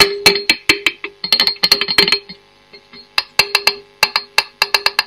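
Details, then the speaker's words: Marshall Kerry King Signature valve amp on bench: sharp taps each followed by brief ringing tone near 400 Hz through the amp; microphonic, noisy preamp valve, to be replaced with low-noise 7025-type valves. "and that one's microphonic so we've got three very very noisy preamp valves"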